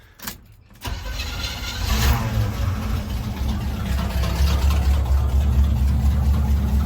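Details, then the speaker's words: Squarebody truck converted from propane back to gasoline, after the mud-filled carburetor was rebuilt, with no fuel leaks. Catches quickly after a short crank and settles into a steady, even low rumble with no misses or knocks: normal start and idle. "So, we are all good and fired it up cuz it starts up and just runs amazing now that this car is rebuilt."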